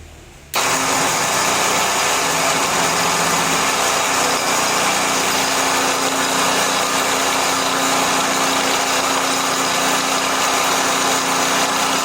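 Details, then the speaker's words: Pelletizer machine motor running with loose, unadjusted roller: steady even drone with no load change from the die; roller not turning until the adjuster is tightened. "So, mapapansin nyo po ay maluwag po yung roller niya. Ito po yung pinaka-adjustan ng roller. So, paandarin natin. Pag pinaandar natin ito nang hindi nahihigpitan, hindi ikot yung roller."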